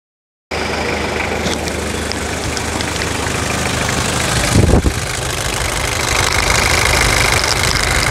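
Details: 1997 Toyota SW4 3.0 1KZ-T turbo diesel after full overhaul and engine rebuild, coolant system bled and topped up: steady, even diesel clatter at idle with no misses, knocks or hunting; healthy.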